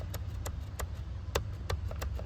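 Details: Jeep Cherokee shifter from a donor car: crisp light clicks about three per second over a low hum as the park-position button engages its switch normally; the original shifter's button is missing.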